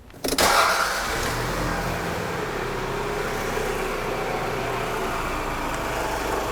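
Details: Engine after replacing a broken timing belt and the water pump catches after a brief crank and settles into a smooth, even run with a steady note; sounds healthy after the repair.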